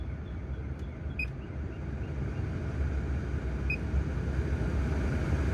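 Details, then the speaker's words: Land Rover Discovery 2 blower motor, previously noisy at high speed and suspected full of debris, after removal and cleaning: smooth, even fan rush with a soft low hum and no rattle; normal blower operation. "Truth oh yeah that is way better oh wow quite the easy simple fix"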